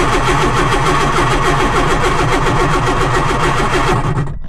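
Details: Lotus Elan's first start attempt after 3 years off the road: steady cranking at about three and a half turns a second, oil pressure up to about 4, never catches, then cuts off. The fuel light is on and the owner suspects low fuel.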